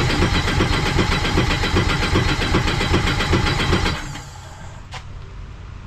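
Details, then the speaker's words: Sea-Doo RXP-X race jetski being built for Pro Spec, with fuel pressure present and running on old E85: fast, regular cranking churn at two to three beats a second, then it cuts off without catching. Crank, no start; the old E85 fuel is suspected. "I tried starting with an old E85 I had here and didn't want to start"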